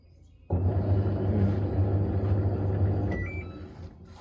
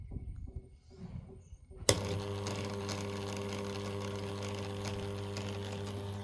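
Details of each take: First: Samsung washing machine after level sensor replacement, spin mode selected: low motor hum about 2.5 s, no drain valve clunk, then beeps; drain valve not pulling so no spin, cause unconfirmed, gearbox not blamed. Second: Samsung washing machine that showed error 1E, after replacing the water level sensor: steady, even low hum with no knocking or grinding; runs normally, no 1E error.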